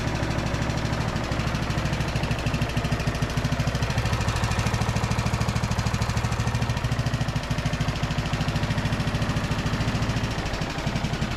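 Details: Briggs and Stratton–powered Craftsman DLT3000 riding mower, formerly not starting, running after fuel tank flush and fresh fuel: single cylinder thumping steadily at about three beats a second, even and smooth; healthy, no misfires.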